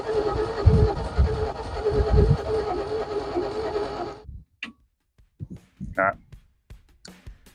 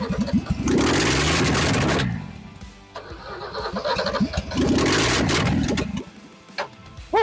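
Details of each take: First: XP Falcon engine sitting 35 years, with its spark plugs cleaned and the carburettor bowl primed with petrol: about four seconds of uneven starter churning that never catches; it cranks but won't fire, with the ignition timing out. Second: Ford XP Falcon engine, revived after 35 years sitting, run without exhaust manifold after ignition timing adjusted following a backfire: loud open-manifold bark with crisp revving bursts settling back cleanly, engine hot, firing evenly and running properly.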